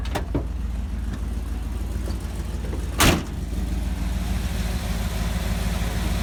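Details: Chevy Cheyenne C20 V8 after fitting a new Edelbrock 600 cfm carb and replacing the water pump that had a bad bearing, driven a couple of days: deep, steady idle with even low rumble, the previous grinding gone. Normal idle.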